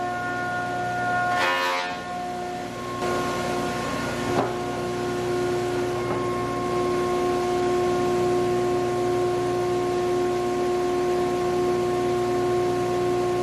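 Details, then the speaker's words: Large used planer cutting dry English walnut, dust extraction not yet hooked up: steady motor hum with an even cutter tone, brief thump as the board feeds, no chatter or bogging; runs healthy. "Guys, this thing is an absolute monster."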